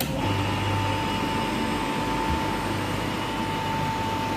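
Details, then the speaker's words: Lab single-phase induction motor after swapping L1 and N terminal wires, self-starting; rotation stays to the right: constant low electrical hum with a steady whine at one pitch; normal running. "Nah, bisa dilihat motor induksi satu fasa bergerak dengan sendirinya."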